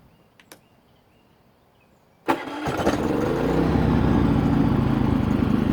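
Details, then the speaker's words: Harbor Freight 3500W inverter generator started with no load, RV plugged in, eco throttle off: fast idle that hunts and stumbles slightly; engine surging and missing a little at no load. "and now I'm going to start it up and you're going to hear it surging and missing a little bit so listen to this"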